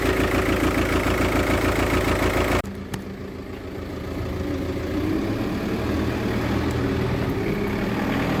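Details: VW Touran 2.0 TDI diesel at idle: hard, uneven clatter about three times a second, then a rougher, lumpier beat; a failing injector.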